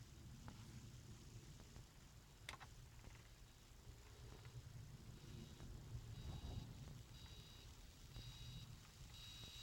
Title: Bosion BX-421 strange noise when nothing is played